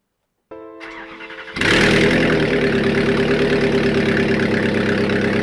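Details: Replacement Toyota 1UZ turbo V8, first start after an engine swap with the oil system primed: the starter cranks about a second, then it catches and settles into a strong, even run. Normal engine start.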